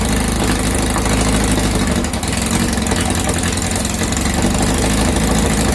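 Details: 2332cc VW bug (Dust Buggy) after cleaning carbs and setting mixture screws: steady even idle, low uniform rumble, no misses or stumbles; normal idle.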